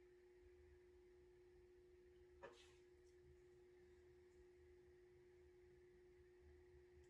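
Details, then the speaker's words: 52-inch Gulf Coast Dixie Belle ceiling fan, circa 1986-87, 172mm motor, running on low: steady motor hum with a faint uneven low rumble from slightly rough bearings. "The bearings are a bit rough on this fan. To be expected for the condition it was in."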